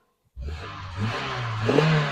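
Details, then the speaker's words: Daihatsu Terios found in a field, unused for many years, started after tightening battery leads: engine fires straight up and revs unevenly, pitch climbing in uneven steps; running again after long storage. "One, two, three. Oh my goodness, it's running. The turd is running."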